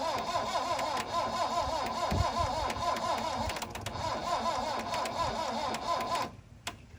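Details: 1972 Plymouth Cricket (Hillman Avenger) unstarted since 1989: starter turns the engine steadily but it never fires, then cuts off; crank-no-start, carburetor plugged, needs new plugs; later runs on choke.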